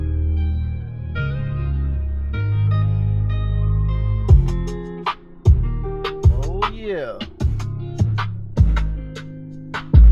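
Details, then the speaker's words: 2015 Mazda 6 Touring Bose front door speaker after a CA-glue repair, door panel not fully reattached, same song at volume about 46. Bass-heavy music plays cleanly with no rattle or crackle. "let's give it a sound and let's see if I fixed it or if it's still crackles it's not rattling"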